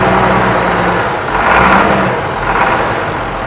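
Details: Abandoned 1999 International 4700 with a DT466E diesel, parked over 5 years, first start after sitting: it fires and settles into a steady, even idle with a smooth low rumble and no knocks or misses. Normal, healthy diesel idle.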